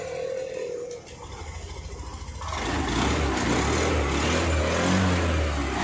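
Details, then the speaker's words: Honda Activa 6G scooter after half engine work, with valves adjusted and rocker refitted correctly to fix self-start problem: brief starter whirr, even cranking, catches within about two seconds and settles to steady idle; normal self-start. "இப்ப இந்த வண்டில வந்து complaint வந்து கரெக்டா ஆயிருக்கும்."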